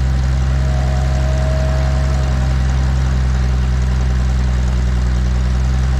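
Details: 1950s Galion 503 road grader engine, first run after sitting 10+ years: a deep, steady, even note with no knocks, misses or surges; running smooth and healthy.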